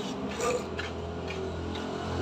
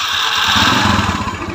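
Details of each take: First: Yamaha Mio scooter fitted with a Shogun CDI that fires about 14–15° BTDC against the stock CDI's 5°, with the ignition timing left unadjusted: it revs up slowly with heavy pickup and a slightly rough, ragged note. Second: Yamaha Mio scooter fitted with Shogun CDI and ignition timing changed, previously rough and weak: short burst as the engine catches and runs up with a fairly even beat. Starts cleanly; normal start.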